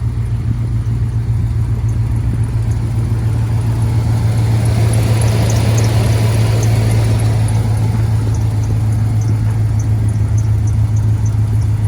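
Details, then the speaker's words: Hummer H2 V8 on a chilly day, just started and warming up at a raised cold idle above 1,000 rpm; faint light ticking about twice a second from an exhaust manifold leak, which fades once the engine warms. "The engine is warming up rapidly right now, so it's running above 1,000. Just allow it a few moments. When it slows down, then you can hear the ticking."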